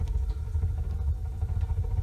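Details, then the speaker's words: Homemade wood-burning garage heater with a new intake-air setup, likely overloaded with wood and overfiring when the air is opened: deep, rapid, uneven low chuffing instead of a steady roar; combustion pulse-jetting. "huh you see that it don't like being cracked [Music] open yeah it's it's pulse jetting on"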